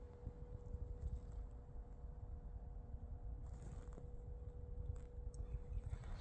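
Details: 2008 Mercedes W203 C220d with ignition off: faint steady low-frequency buzz from the auxiliary water heater booster staying powered, causing a roughly 13.7–14 A parasitic battery drain.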